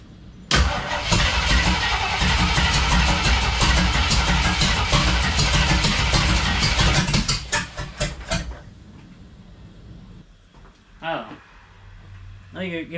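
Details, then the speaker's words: 1976 AMC Gremlin with an AMC 360 (5.9L) V8, starting with fuel poured in and one muffler fitted. It catches and runs loud and ragged for seconds, then falters and dies. Hard start and stalling; the owner suspects ignition timing was accidentally bumped, unconfirmed. "all right it kind of wants to run but I need to get it outside I need to set the timing on this I think that could be what's off right now"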